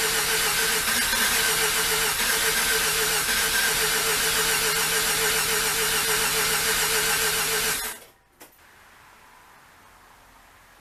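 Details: Rotary engine with new plugs and about five gallons of fresh premixed gas after draining old fuel: steady fast starter cranking, about four per second for eight seconds, no catch, then silence; crank no start because the fuel relay was disconnected.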